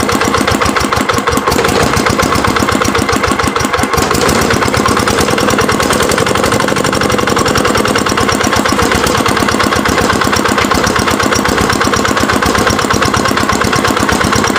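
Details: Dongfeng R175/180 single-cylinder diesel, rebuilt after lost compression with new crankshaft bearings, piston liner and more, decompressor welded, first start after repair; fast even chugging holds steady with no misses, knocks or hunting; healthy, good compression.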